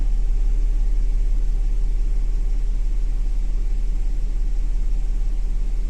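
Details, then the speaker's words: 2010 Audi Q5 with codes P0491/P0492, new secondary air pressure sensor, engine running, pump commanded on by scan tool: steady idle with no added pump whine or hum; secondary air pump not running. "it says it's active but I don't hear the air pump running well we'll have a listen"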